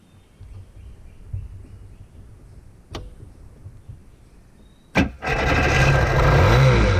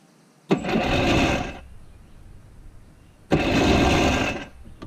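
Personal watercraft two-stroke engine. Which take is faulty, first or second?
first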